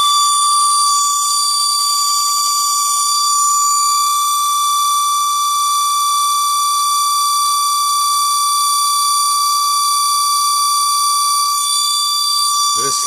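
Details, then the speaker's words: Mercedes 600SL V12 throttle body motor on bench with varied voltage: steady piercing whine near 1 kHz with shrill overtones, with vibration, fading at lower speed; worn bushings, motor running hot. "changing the speed I'm changing the voltage so you hear the pitch changes that was the high pitch noise see I can change the speed on it and basically went away after I decreased the speed"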